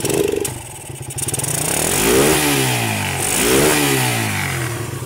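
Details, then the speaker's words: Suzuki Satria, battery connected, engine throttled fully: blips cleanly to high revs and falls back twice with no misfire or stumble. Removing the battery stops it revving. "Kalau kita kasih beban seperti ini, kita kasih baterai, oke, kita hidupkan seperti ini. Nah, kita gas full, ini mau teman-teman."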